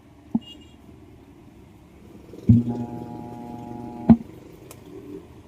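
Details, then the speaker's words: Altec Lansing 2.1 speaker system amplifier at power-on: a few clicks, then a steady low hum with clear overtones; the hum stops when the input is unplugged, so the fault lies in the input, its supply or connectors. Amplifier hum. "Yan may ugong nga mga boss. May haming oh."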